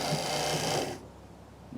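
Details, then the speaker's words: 1985 Chevy K10 wiper motor whirs about a second, stops, then restarts on its own, cycling like delay mode though the switch is firmly off; only happens with the washer pump plugged in; owner unsure where unlisted pink/white wires go. "This thing is on its own. It's acting like it's in the delay position, but maybe y'all can see from this switch right here that off is right on the mark."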